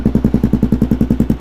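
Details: Kawasaki KLR650 single, rebuilt project bike, cold start without choke: steady unbroken thump about nine beats per second, no misses; clean healthy idle, owner may adjust idle during ride.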